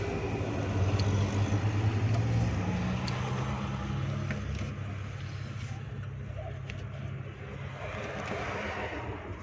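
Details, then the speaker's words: Suzuki Ravi (Bolan) van with a morning starting problem on petrol and CNG, after fuses were replaced and plug current restored: the engine catches and settles into a steady low beat near three per second, easing down smoothly; normal start. "दोस्तों ये हमारा करंट आना शुरू हो गया है, तो गाड़ी हमारी बोल गई है, तो स्टार्टिंग की पोजीशन में चली गई है।"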